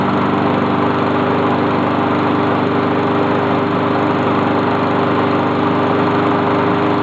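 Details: Honda lawn mower just reassembled, true cold start: fires and settles into a steady, even buzzing run with no misses or knocks; sounds good.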